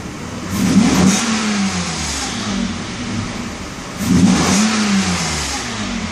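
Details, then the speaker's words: 1992 Mercedes S600 V12, limp mode reset, repaired throttle bodies, slightly floaty idle from vacuum leaks: light pedal gives two clean, smooth revs to about 4,000 rpm on all 12 cylinders, no stumble or misfire. "see with the same exact the same exact pressing of the gas I get this car to accelerate nice and easy on all 12 cylinders 4,000 no problem"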